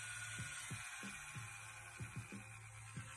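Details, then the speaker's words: Flite X1 (Inkjecta) tattoo machine turned super low: a soft, slow pulsing hum, smooth and steady with no rattle, healthy at low voltage. "But the fact that it goes down and low is super cool. I would say in reality, that's probably like 4 volts."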